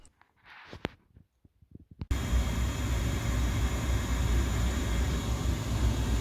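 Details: Boiler burner after servicing: after some clattering, it lights into a steady, even low roar with no misfire or pulsing; normal burner firing.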